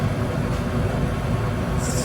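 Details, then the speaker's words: Goodman gas furnace, hot surface igniter lighting its two burners: low steady rumble as burners light and settle, no bang or delayed whoosh; clean, normal light-off. "Oh, yeah. Here comes ignition, baby. Oh, do it. Fire. Fire in a hole. Voila. Got 2 little baby burners."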